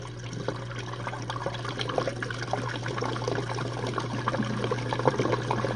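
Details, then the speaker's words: Jenn-Air dishwasher on Quick Wash with no heat dry, test run after recent low recirculation noises from suds. During the final drain the wash stops and the pump starts. A steady low pump hum under gurgling, splashing water as the tub empties. Normal drain. "And during the final drain, the dishwasher will stop and the pump will turn on."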